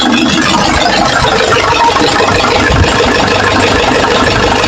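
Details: Nissan Patrol 4x4 3.0 L 2D30 diesel started cold after top overhaul and valve setting to fix valve leak and misfire: steady, even idle clatter with no missing beats or stumbles.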